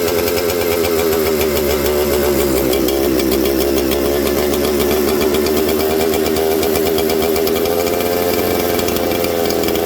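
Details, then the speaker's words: Mystery 200-series junkyard '266' chainsaw with a Husqvarna tag: the steady high buzz sags for a few seconds when spray is applied near the crank seal behind the oil pump, then climbs back, indicating a crank seal air leak. "There you go, friends. Did you see that? When I sprayed this into there, did you hear it slow down? Now, because the crank seal is behind the oil pump, it's really hard to suck it into there, right, on these. But I got enough in there that it sucked it through into the crank seal."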